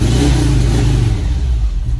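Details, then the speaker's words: 1987 VW Vanagon Syncro Westfalia parked since 2001, start after hand-turning and added horsepower: fires up, good idle, quick throttle blip rises cleanly with a throaty sound and settles without clatter or misfire; boxer engine revs healthy. "contact fires up idle's good no horrible [Music] sounds ooh that does it does feel peier it does kind of have a a throat eess to it"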